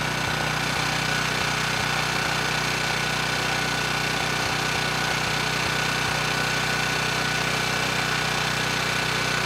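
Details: Ridgid 5700 W generator (RD905712), Yamaha MZ300 engine, dump find with 1500 hours; started first pull on a cold day, warming up before load: steady even drone at one speed, no misses, surging or knocking; normal running.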